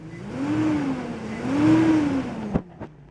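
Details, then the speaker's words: 2004 Cadillac Escalade at start-up with stored ride control faults; a clear whine that rises and falls with engine revs; owner suspects a bad clutch fan, unconfirmed. "hear that like whining noise when it when it revs up"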